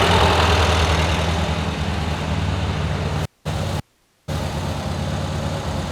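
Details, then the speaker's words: 1971 VW Squareback engine just reinstalled with new valves and 40 mm carbs: steady, even low putter at idle with a couple of brief cut-outs, no knocks or misses; valve cover still leaking oil at a corner. Normal idle. "sounds good running fine"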